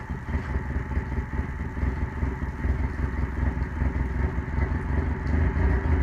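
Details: OMC 2.5L four-cylinder, first start after replacing the water pump: settles into a steady low idle with even pulses, no knocking, ticking or misses; runs normally.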